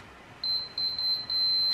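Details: Onkyo TX-SR501E receiver with no power-on fault, fuses tested with multimeter: four short clean high beeps right on contact, continuity shows every fuse good; fault lies elsewhere, power switch checked next.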